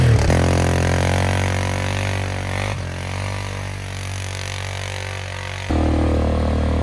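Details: Flood-repaired 2001 Polaris Sportsman 500 HO test ride, aftermarket muffler and modified clutching: single-cylinder thump through loud muffler, revs easing and picking up smoothly, no misfires; AWD and cooling fan working; primary clutch engagement delayed.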